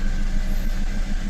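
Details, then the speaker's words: Toyota Camry after an immobilizer fix, with codes cleared (MAF/intake air temperature, ignition coils A-D): it starts but idles unevenly with a quick ticking about six times a second, like it is not firing on all cylinders, even after the coils were checked. Cause unknown. "ก็เหมือนเครื่องเดินไม่เต็มสูบอ่ะครับ"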